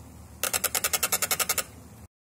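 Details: 2021 Canyon Torque 6 AL mountain bike: quick, sharp frame creak, about a dozen dry clicks in roughly a second; hard-to-find annoying creaking from the frame.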